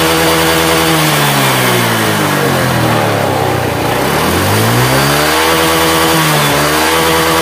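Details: Honda Vario 125 that burns oil and once ran dry of oil, CVT area, throttle revved and released: coarse rattle as revs fall on throttle release, suspected worn CVT roller housing.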